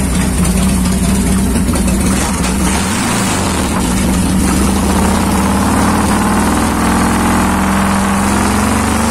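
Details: 1990 Harley Fatboy Evo carburetted V-twin after a carburettor clean (clogged jets had stopped it starting): loud steady potato-potato idle with a small rev blip; runs clean.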